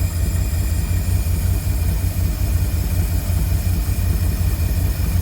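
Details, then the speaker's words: 1952 Cadillac Series 62 V8 after carburetor rebuild, distributor timing still being tweaked, no air filter fitted, earlier alternator whir cured by oiling; smooth even low rumble at idle with steady beat and no whir; normal idle. "But I'm liking this. Dang. Sounds good."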